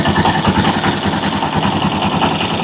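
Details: Rusi Chariot 175 trike single-cylinder engine at idle: steady, even putter with regular firing pulses and no knocks or rattles; idles normally.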